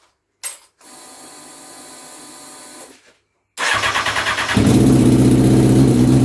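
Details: Honda CBR929RR SC44 turbo build on its first start, not yet dyno-tuned; the fuel map is decent at tick-over and off boost. Pause, steady cranking pulses, then it catches cleanly into an even, strong idle.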